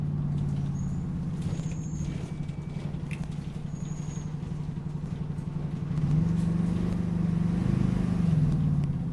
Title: Refurbished Optare Solo CT Plus OS23 YJ12GVV with a Squeaky Noise on the Route 309